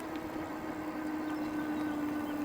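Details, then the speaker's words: Puckipuppy Poodle cruiser e-bike, climbing a steepening hill as speed drops from 20 to about 9.5 mph: steady whine sinks in pitch as the motor strains under heavy load; normal. "You might be able to hear the the motor start to back off. Well, not back off, but strain."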